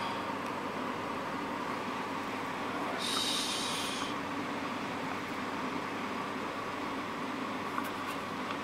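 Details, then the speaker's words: Corona CD-6311 dehumidifier after cleaning mold from the fan and fixing a vibrating internal part in place: steady, even hum with a faint constant tone and no rattle or buzzing; running smoothly. "これが震えてたので固定しました背でこれでいいはず"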